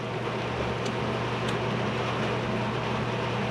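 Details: Classic Edge 750 wood boiler warming up after annual cleaning and start-up, reaction chamber about 990–1,000° (normally 1,200–1,400°), light smoke remaining; steady even roar with low fan hum, burning cleanly.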